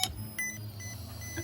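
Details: Fuel pump on a no-start car, powered directly with 12 V from a Power Probe during troubleshooting: low steady electric hum with a thin whine and short test beeps; pump runs normally, relay suspected.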